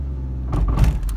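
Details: 1996 Peugeot 306 with driveability problems, pulling off in gear: short burst of dull clunks over low engine drone as the wheel and steering wheel jerk, consistent with worn inner driveshaft splines slipping; driveshaft suspected, left wheel possibly dragging.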